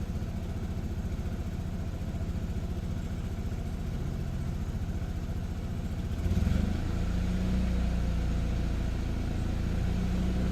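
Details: 2007 Saab 9-3 2.0T (B207R turbo petrol) idling with an uneven, lumpy beat; rough idle began intermittently, now on every start, despite new vacuum hoses, spark plugs and battery and cleaned solenoids, EVAP control and MAF.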